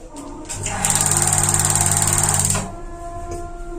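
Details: Paloma gas water heater that won't light: fast, even snapping of the spark igniter continues without the burner catching; likely torn gas valve diaphragm/membrane starving it of gas.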